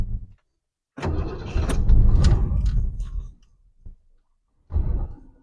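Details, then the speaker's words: 1967 Lincoln V8, cold start after choke adjustment, pedal pumped a couple of times; choke snaps almost fully open on starting, cause unknown. After a pause it catches at once, runs loud and rough, fades, then another burst: normal cold start. "okay so it immediately kicked off still I'm not sure why that choke opens up so fully so I'm just going to leave my foot on the gas here for a minute let it warm up a bit before I take off"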